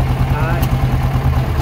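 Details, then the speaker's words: 2008 Yamaha Rhino 660 single-cylinder UTV in gear (high): engine chugs unevenly, missing horribly, idles fine in neutral; unplugging the speed sensor stops it instantly. Suspected faulty speed sensor or its wiring, CDI already ruled out. "You can hear it missing horribly, and then I'll just unplug this, and the problem instantly goes away."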